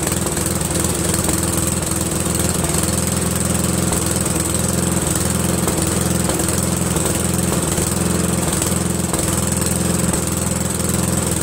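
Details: Briggs & Stratton 13hp flathead single-cylinder on an MTD Cub Cadet lawn tractor, after carburetor replacement; steady even drone at constant speed, no misses, surging or knocks; running smoothly, owner pretty impressed.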